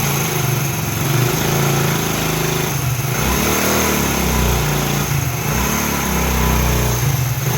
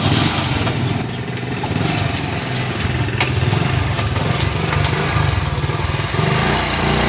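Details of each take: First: Single-cylinder motorcycle after head reinstalled and damaged head gasket replaced (it leaked piston pressure, causing head/piston noise and blow-by): even, steady idle, no knock or tapping; earlier noise gone. Normal idle. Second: Motorcycle under load: steady slightly uneven chugging with puffy edge, noise from piston and head cylinder and blow-by; head gasket leak, head opened for cleaning and repair.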